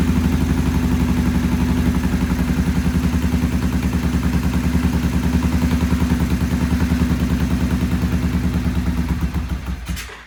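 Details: Vintage British twin motorcycle with Monobloc carburettors, choke off, timing set, idle raised while adjusting carbs: lumpy, uneven idle about 200 beats a minute that sags and stalls; poor idle, they then stop to clean the pilot jets.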